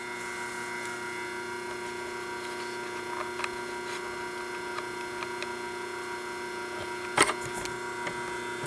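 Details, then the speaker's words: 1976 General Electric Q174461 washer motor, 1/2 hp, 1725 rpm, 115 V, once submerged in Katrina but used for years since, bearings warming up: quiet, even hum, steady tone, no rubbing, knocking or bearing growl; runs smooth and healthy. "This is actually a very good motor in the sense the laminations are real really uh well made and everything on it."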